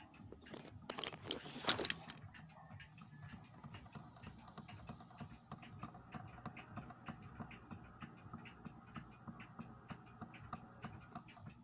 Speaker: you hear that guys not my clocks i have here many pendulum clocks if you hear that that's the sound of a flat spot of your idler wheel